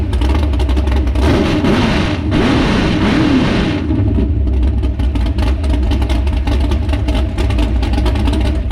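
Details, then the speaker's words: S10 truck on a lift, first start on race gas with only the timing set, floats too low and carburetor, regulator and mixture not yet adjusted: deep, lumpy V8 idle with a couple of sharp blips; rough idle, needs tuning. "so all right so that is it running with only the timing set uh floats are down a little too low uh it smells good i love the smell of race gas well the exhaust um sounds pretty good so far it'll get better"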